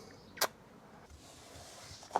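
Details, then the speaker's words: Jaguar XK8 seat tested: two sharp, isolated clicks about two seconds apart with no motor hum; seat lift up/down does not work, relays click, lift motor suspected jammed, disconnected or failed. "So, the lift motor is jammed, disconnected, failed. I can hear the relays going."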